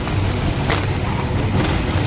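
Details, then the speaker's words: Maruti Swift Dzire VXI with no pickup and heavy misfiring, idling near 1000 rpm; new air filter and ignition coil didn't fix it: a lumpy, shaking idle with vibration and one injector unplugged during diagnosis. "ಆಗ್ತಾ ಇದೆ ಇನ್ನೇನು ನೋಡಿ ಇಲ್ಲಿ vibration ಆಗ್ತದೆ ನೋಡಿ"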